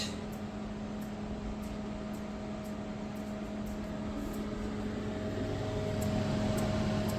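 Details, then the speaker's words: LG NeoChef MJ3965BGS inverter microwave, about 4 years old: low steady hum from the turntable and fan with faint sharp ticks about three a second and no heating drone; water does not heat, other functions work; magnetron fault. "you can see this a tick tick tick sound it will not hit it up at all"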